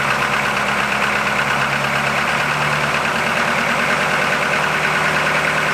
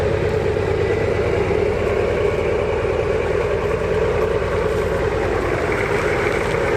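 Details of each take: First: 1981 Buick Century with 350 diesel V8, just started with glow plugs not working and one unhooked: lumpy, stumbling idle under loud clatter; misfiring, not firing on all eight cylinders. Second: 1981 Buick Century, revived after sitting, driving on the road in second gear: even, steady diesel drone with no knocks, misses or rattles; runs well, though the kickdown seems not to work.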